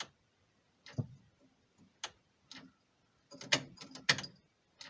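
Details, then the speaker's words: 1974 Dodge Charger parked in a field about 14–20 years, mid-restoration, after rewiring gave dash power: scattered single clicks with no cranking on the key. The cause is not confirmed. "it didn't work that great but i did get power into the dash which i didn't have before it still won't crank with the key all i can hear"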